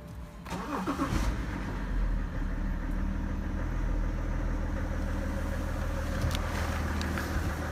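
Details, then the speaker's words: Car engine after RVS Technology coating treatment and half-hour break-in drive, first cold start next morning: brief crank then low, steady idle with no stumbles; earlier cold idle intermittently ran rough, now seemingly gone: normal cold start and idle. "Aikaisemmin kylmällä koneella tässä oli semmonen, että se välillä pyöri karkeammin. Sitten se ääni taas pehmeni ja pyöri karkeammin. Vaan nyt näyttäisi olevan ainakin se pois näin ensimmäisellä kylmäkäynnistyksellä."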